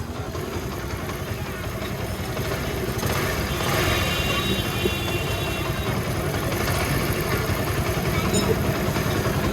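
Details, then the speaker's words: Honda CD 70 (70cc) after timing chain replacement and a silencer fix: steady single-cylinder idle thump with no chain rattle or ticking. Normal idle. "तो जैसे कि आपने sound सुना बिल्कुल जबरदस्त sound हो गया"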